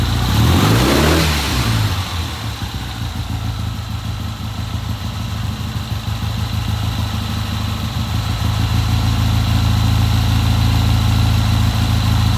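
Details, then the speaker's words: 1970 Triumph twin with hard-starting problem, first start after fitting new Premier carburetor: catches after short crank, revs once, settles into even steady idle with no misses; sounds healthy. "Okay, that sounds pretty good."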